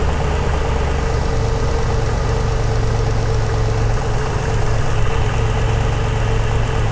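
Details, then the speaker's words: 2001 Toyota Land Cruiser 100 series, 4.7-litre petrol V8, off the road since 2016, after fitting replacement ignition coil, MAF sensor and new O2 sensor to cure misfire and jerkiness: steady, even low idle, no stumbles; smooth normal idle. "ladies and gents that that is smooth that is smooth yes yes"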